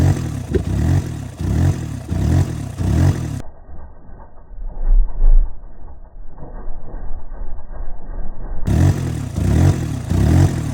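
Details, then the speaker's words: Mini Cooper with the intake removed, being run during an overheating and coolant leak check: lumpy, pulsing idle with deep irregular pops, shooting little fireballs out the open intake; cause not pinned down. "I mean, it keeps shooting little fireballs out the front here."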